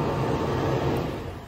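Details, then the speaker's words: 2020+ 5th-gen Toyota 4Runner remote-started with Start-X kit, shuts off when the door is opened; low steady engine hum winding down within a second – normal engine shutdown. "it will shut off. I haven't found a way around that yet."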